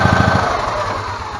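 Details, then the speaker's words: 2012 EZGO TXT gas golf cart: small single-cylinder engine fires and settles into a quick, even putter that steadies, recharging the battery enough to recrank on its own; normal running. "oh look at there it's going to run without"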